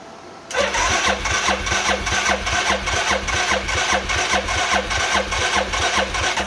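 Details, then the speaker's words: 2000 Arctic Cat 500 4x4 ATV, Suzuki 500cc single, rebuilt with a used crank, after fitting the cam chain tensioner; catches and settles into an even thumping idle about 2.5 beats a second, no knocks. "this is it without fuel got the cam chain tensioner on there sounds good"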